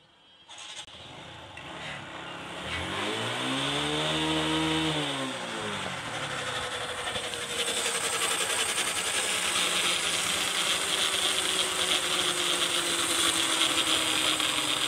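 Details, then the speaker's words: TVS Striker motorcycle, running, harsh gritty grating "kar kar" rattle after a rev when the clutch lever is pulled in; owner suspects clutch plate or clutch bearing, source (clutch, elsewhere or inside engine) not yet confirmed. "তো আজকের ভিডিওর উদ্দেশ্য হচ্ছে TVS striker বাইকটির সমস্যা হচ্ছে class press করলে একটা বাজে শব্দ হচ্ছে, অর্থাৎ মনে হচ্ছে যে ক্লাসের বিয়ারিং থেকে যেরকম শব্দ হয় ক্যার ক্যার ক্যার ক্যার করে এরকম শব্দ হচ্ছে।"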